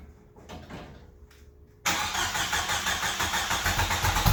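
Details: 1995 Jeep Wrangler YJ, first start in years after new fuel pump and filter replaced a shot pump and rotten gas: quiet, then engine catches and settles into a steady, even run with no misses or knocks; normal running.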